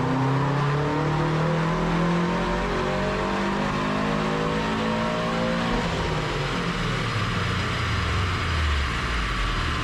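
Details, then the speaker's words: 2008-on Subaru STI (GR/VA) after a stumble fix: engine note climbs smoothly, shifts and pulls again, with no hesitation or the usual stumble near 3000 rpm; normal acceleration. "and we're just gonna see that everything is all happy normally you can really kind of feel and hear that gr stumble as you approach 3000 but the the car as you just saw it didn't like nose over or anything"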